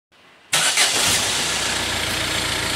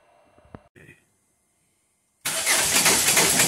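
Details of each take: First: 2011 Ford Fiesta 1.6 TDCi diesel, which cranked without starting with code P0336, after a new crank pulley replaced the worn pickup ring: a short crank catches at once into a steady, even idle. Normal start and idle. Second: 2011 Ford Fiesta 1.6 TDCi diesel with code P0336, crank sensor range/performance: the starter cranks steadily but the engine never fires. An oscilloscope showed an extra flat spot on the crank pulley's pickup ring, which looked fine by eye; crank no-start.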